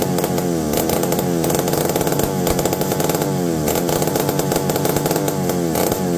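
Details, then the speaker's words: McCulloch D44 direct-drive chainsaw, reportedly unrun for 15 years and previously a hard starter, revived; steady high buzzing two-stroke note, no misses or surging, running well, though the owner feels something when turning it over and suspects a coil needing baking. "so it ran good but I'm feeling something here"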